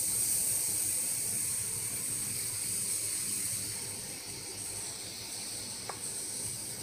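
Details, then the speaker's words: Old-fashioned cheap mobile phone charger on mains power makes a thin, steady high-pitched whine over faint hiss; blamed on bad, low-capacitance capacitors, fixed by replacing 0.47 µF and 2.2 µF 50 V capacitors. "today i will discuss sound problem mobile charger this charger can make horrible sound"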